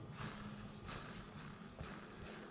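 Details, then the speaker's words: Traxxas Slash 4x4 VXL RC truck: short raspy spin-up bursts from a dry, worn bearing with no life left; traced to bad bearings in the front differential, rear was fine. "that uh dry ass bearing with no life left in it that means I'm gonna pull the front end off and find which bearing I'm making all that noise"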